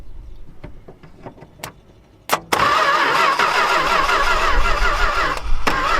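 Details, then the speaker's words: Long-neglected Dodge stepside truck with new plug wires and an ignition switch stuck in the on position: a few clicks, then steady, even starter cranking with no firing; no spark is suspected, possibly a wiring issue. "No, I don't think we're sparking. Couldn't possibly be any issues with the wiring, right?"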